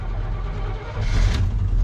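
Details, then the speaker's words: Old Chevy cold start: rough, uneven rumble that stumbles then picks up and steadies once it catches, owner guesses it wanted fuel and hears an unidentified noise; hard cold start. "guess it wanted fuel what's making that noise always something Ain it"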